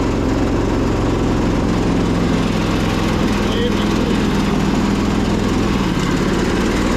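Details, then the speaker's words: Husqvarna YTH2242 with a Briggs V-twin, started with the blades stuck engaged by a makeshift cable fix; a loud, labouring, lumpy beat as if running on one cylinder, with possibly a dirty carb. The cause was found to be a bent push rod. "And it basically, it sounds like it's running on one cylinder, and even that is a struggle. Like one cylinder with a dirty carb."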